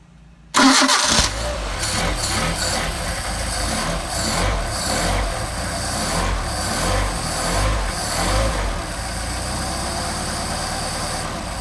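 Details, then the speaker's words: Mercedes 190SL with freshly rebuilt Solex 44PHH carburetors, cold start after several days unused, around 93°F ambient, choke on: quick catch, brief flare, then a smooth steady idle before warm-up; normal cold start and idle. "nice smooth idle. Now we're going to rev up the engine and get us warmed up here."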